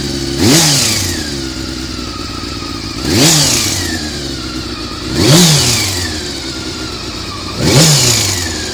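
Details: Honda CBR400RR after riding at Ebisu Circuit: revs swept up about every two and a half seconds with a clattery rasp on each rise; abnormal engine noise, owner suspects the cam gear train, unconfirmed.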